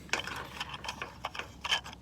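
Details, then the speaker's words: Polaris pool cleaner backup valve after fixing a stuck gear by pushing the small wheel back down onto its bar: light, irregular ratcheting clicks from small turning gears, no jamming or grinding; gears turning freely. "problem solved okay it's fixed you can hear the gear in there turning"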